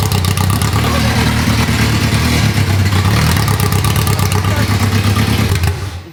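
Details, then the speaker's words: Rebuilt Ferrari F430 V8, first start in over 7 years: loud, choppy, lopsided beat that stumbles and shuts off while running on only four cylinders, one bank firing. "four cylinders it was only running on four cylinders then there was only firing out of this side"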